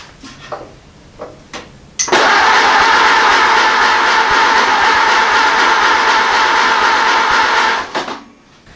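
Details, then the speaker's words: Ford AA Doodlebug engine, after a new part stopped the fuel bowl leak, with choke pulled and a little throttle: steady fast cranking whir for about six seconds, never catching. Owner suspects carburetor issues. "this wants to go we got carburetor issues now"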